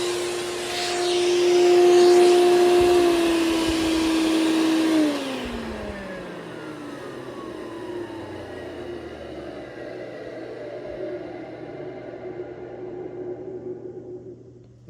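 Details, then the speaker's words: Hoover Celebrity QS vacuum on high speed, top bushing lightly lubricated: steady motor hum drops in pitch on coast-down with faint rough rumbling. Better than before but still noisy on wind-down; owner plans to dismantle it. "as we can hear it it's not as bad as it was but it's still not very great it's it still doesn't sound very great when you when it winds down"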